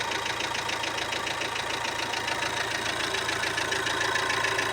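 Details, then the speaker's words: Volkswagen at idle: crisp even light ticking, about three to four per second, that softens at times; it was previously quiet. A hydraulic lifter is suspected, but conclusions are called premature. "Ага вот сейчас звук утихает так Ну давайте выводы не будем делать это кто не двигательный это похоже на компенсаторный выводы преждевременные"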